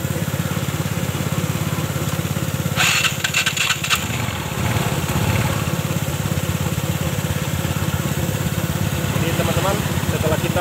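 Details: Yamaha Mio Sporty scooter after CVT service for weak pull and slipping noise at the pulley on takeoff: small single idles with even steady putter, no rattle or knock after reassembly.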